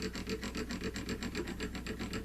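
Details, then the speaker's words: Roughly 40-year-old clutch basket: a metal rod dragged along an unfiled basket finger gives a rough clicking rasp, about six bumps a second. The notches were worn by the friction plates; the fix is filing the fingers smooth. "Okay, so you can hear the bumps that are in it, as well as see and feel them."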